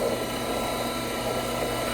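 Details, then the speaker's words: Frymaster oil-conserving fryer with two 30-pound pots, timed quick filter of about 4 minutes: filter pan pump pumping drained oil back into the fry pot, even steady motor hum, no knocks or rattles; normal pump running. "The filter pan has a pump in it, which you can hear engaged and running now. So the filter pan is going to pump the oil back into the fry pot."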